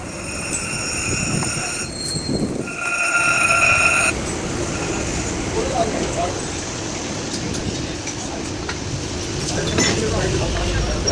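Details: Ashok Leyland truck driving with a gearbox noise that is checked and repaired: high, steady whine coming and going over rough road rumble.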